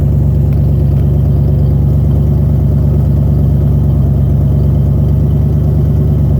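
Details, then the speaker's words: 1990 Ford Bronco Eddie Bauer 5.0 V8 4x4 idling high, around 1200–1500 rpm, with the throttle position sensor disconnected because it is bad. The exhaust rotted off past the catalytic converter, so there is a loud, deep, raw booming rumble, with fuel pump and power steering whine. "It doesn't have exhaust past the catalytic converter because it rotted off."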